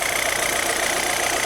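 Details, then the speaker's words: Chevrolet Zafira 2.0 after replacing the water pump, which caused a loud engine-bay noise, new silent pump and additive coolant: short steady idle with no whine or rattle; normal idle. "o pessoal tá aí mais uma dica pra vocês barulho regular a safira ouviu um barulho regular procuro reparador de confiança"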